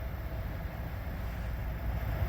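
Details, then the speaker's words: Car with dual climate control after installing a new blend/temp door actuator, switched from full hot to full cold: low, steady cabin hum with no ticking as the door sweeps; the actuator is quiet. "all right guys it's quiet it's not making the ticking noise anymore"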